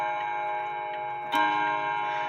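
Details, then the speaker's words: Seth Thomas Sonora clock, chime released after the shipping lever is removed: steady ticking, then the hammers strike a clean, evenly sustained ringing chime; healthy strike. "sr4 hammers hitting and I think that sounds really good myself"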